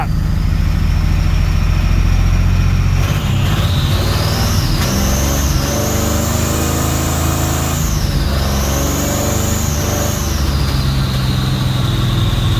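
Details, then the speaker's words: Chevy S10 street rod V8, warm after an hour plugged in, freshly completed cooling system, fire-up on boost pack: loud revving with occasional stumble, one cylinder misfiring on and off; owner suspects a spark plug, unconfirmed. "check into the plug so it's not like i got one cylinder missing fire a little bit on and off"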